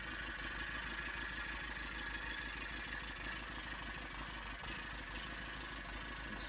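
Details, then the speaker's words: Toyota 1KZ-TE diesel (Hiace/Hilux) cold idle, rough with lumpy stumbling beat from cylinder 2 misfire; clears when warm after ~20 minutes or above idle; cause: exhaust valve clearance near zero (spec 0.25–0.35 mm), shim taken out. "so we have established that this actually has a misfire on cylinder two so we'll have a quick listen to what it sounds like here"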